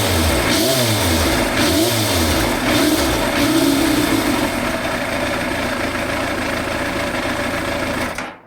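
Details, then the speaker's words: Yamaha FZR1000 after full carb rebuild (new diaphragms, rubbers, Dynojet kit), warm but not fully hot, off choke: sharp throttle blips rise and fall cleanly, settling to steady idle without stumble; pickup far better than before. Normal throttle response. "now that is 100% better than before I did the rebuild"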